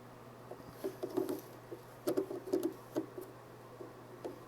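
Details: IBM 8228 Token-Ring MAU port contacted with the Setup Aid after fitting a new battery, mic held close: faint irregular soft clicks over a quiet low hum as contact is made and released, the port relay switching normally.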